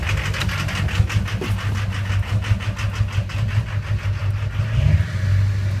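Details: Low, chugging engine with irregular beat and missing pulses, misfiring; no black smoke, owner suspects a bad injector.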